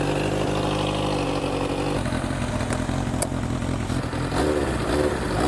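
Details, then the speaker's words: Motorcycle imported from Japan, started after sitting a while, idles cold with an uneven, lumpy beat and occasional stumbles, improving as it warms but not fully right; no internal mechanical noises, and sitting is suspected as the cause. "ooh it's warming up that's getting [Music] better it's not quite all there yet but we have confirmed the bike runs not great it could have been could be from sitting for a little while"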